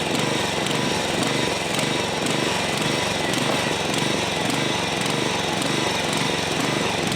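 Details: Old John Deere 14SB push mower, trash find, rope instead of missing recoil, carb only removed and inspected, at half throttle: uneven loping beat that wanders instead of holding steady; runs rough, owner thinks the carburetor needs a rebuild.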